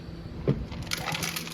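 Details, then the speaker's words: Intake manifold from a blown-up 5.7 Hemi in a Durango, shaken by hand: brief loose clatter of hard fragments, broken valve seat pieces stuck in the intake that are very difficult to get out. "You hear that noise? No, that's not the bolts moving around. That's pieces of valve seat. They're stuck in the intake."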